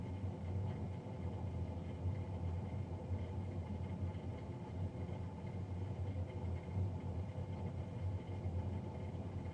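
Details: Navien NCB-240 boiler recorded three days after a Jan 31, 2020 service: steady, loud low roar with constant hum, no knocking; combustion fan running noisily, cause unclear.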